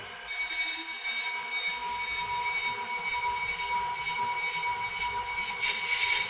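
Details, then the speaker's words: Pro-Cut 9.2 DRO on-car brake lathe, motor on, setting zero cut depth: steady motor hum with a faint high scraping hiss as the cutter tips just lightly touch the spinning rotor faces. "I'm going to turn on the motor, and then rotate the cutter depth knobs just until you hear the cutters lightly touch the surface of the rotor."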